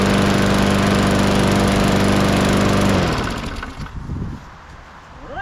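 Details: Lawn mower (number seven) after blade sharpening, an oil top-off and an air filter clean: steady, even engine drone with a firm low hum, running smoothly until shut off and winding down; healthy, repair finished.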